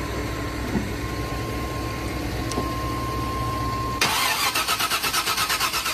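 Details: 1998 GMC 4x4 truck on a cold start attempt: the starter turns the engine over in a quick, even whirring chug for two seconds but it never catches; the owner suspects the crank sensor, spark plugs or jumped timing.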